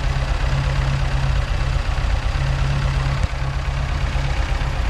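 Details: Mk2 Ford Escort with Pinto engine, first fire-up after the build, warming up: low, uneven idle with a lumpy, hunting beat and a brief stumble; carburettors only mildly set up, still needing adjustment.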